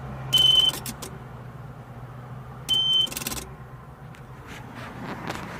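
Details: 2003 Sea-Doo GTI LE RFI with key on the DESS post: two short high beeps a couple of seconds apart and no cranking or engine at all, a no-start; cause not confirmed.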